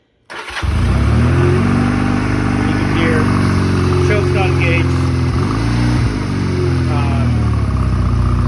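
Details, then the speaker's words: 1986 Honda Rebel 250 with maybe 20,000 miles, in neutral at start after getting fuel down the line; it catches and settles into a fast, steady idle that never drops back down, idle speed set too high. "oh that's you know that's definitely idling too too high"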